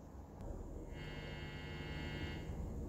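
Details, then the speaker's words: 1950s Oahu Valco Supreme 110V tube guitar amp (original RCA 5Y3-GT, 6J7, 6SC7, 6V6-GT tubes, field-coil speaker): the amp is silent until the single-coil guitar's volume comes up, then a low steady hum with a faint buzzy edge swells; normal single-coil pickup hum. "you can hear the amp is silent it's not until I turn the guitar up being single coil"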